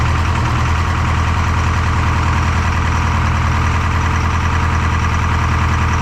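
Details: Detroit 4-53T diesel with 9G90 injectors, run from a 5-gallon tank bypassing the solenoid and tank: lumpy, uneven low idle with one cylinder not firing. Fuel starvation (filter half full, loose suction hose clamp); injector two not delivering.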